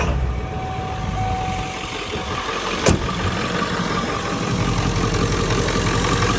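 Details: 1997 Ford F-350 7.3L Powerstroke diesel, 164,000 miles, after replacing the alternator for a knock: steady low idle with no chatter or knock, one brief click; engine sounds healthy, fixed.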